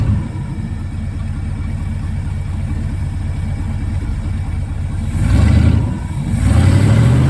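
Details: 1974 Ford F-350 grain truck, 360 FE, allegedly about 42,000 miles, long-stored, carburetor rebuilt: a rough, uneven idle steadies, then two quick throttle blips rise and fall cleanly. Runs and revs normally.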